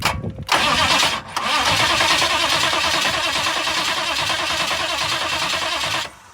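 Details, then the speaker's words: 6.5 turbo diesel in a Suburban, first start after a new starter was installed: brief crank, then it fires straight away and settles into a steady, even clatter before shutoff; normal start and idle. "oh yeah she barked right off to life oh that's a good motor"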